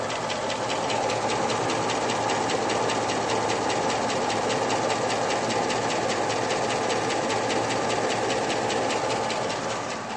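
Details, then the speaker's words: 2002 Chevrolet Avalanche 5.3L LS, fully warmed up, idling at about 500 rpm with oil pressure over 50 psi on straight 30-weight oil, new Comp cam and lifters and new rockers, recorded outside garage: fast, even ticking about four per second over a smooth idle. Noisy valve train. "As you can hear, the valve noise is about the loudest thing you hear right now."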